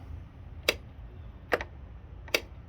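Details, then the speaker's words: John Deere D155 riding mower that won't start. With the foot safety pedal pressed, the starter solenoid gives three sharp single clicks about 0.8 seconds apart but the starter doesn't crank; next step is a multimeter check for power at the starter. "i have to put my foot down on this to get that safety engaged and now it's clicking and that's the solenoid clicking down there the starter solenoid trying to get the starter work"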